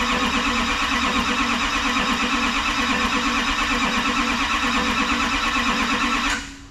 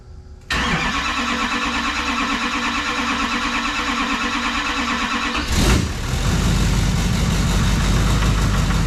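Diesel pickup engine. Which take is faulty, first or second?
first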